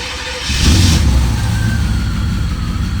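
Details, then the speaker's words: C4 Corvette with a hot no-start and VATS code 46, after the fix, with no security light showing: short crank, then the engine catches and settles into a strong, even, deep rumble. A clean start, though the engine light is still on. "Okay, hold on. We still have the engine light. Sounds mean. Okay, I'm gonna let it idle."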